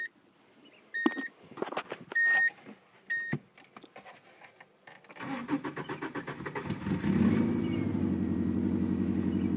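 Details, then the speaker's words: 1995 Subaru Legacy wagon, 163,000 miles on the body, replacement motor now about 87,000 miles, cold after sitting overnight with the battery charged: dash chimes, a quick crank, then a clean start into even idle. No check engine light; runs smooth. "there are no check engine lights on you can bring your scanner to verify that there are no stored codes motor runs motor runs smooth"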